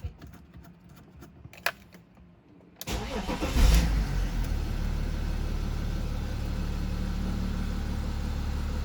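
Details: 16-year-old BMW X3 E83 diesel at start-up: quiet, then it cranks and catches with a brief stumble as rpm dips, then a steady low idle; owner reports a knock on the engine's left side, viewed from the front, only at start-up, cause unknown.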